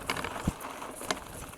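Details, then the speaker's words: Duotts C29 electric mountain bike, front suspension fork, riding a rough stony path downhill: sharp, irregular clacks over rolling tyre noise as the loose front mudguard knocks on bumps. "le claquement que vous entendez c'est le gardbout avant"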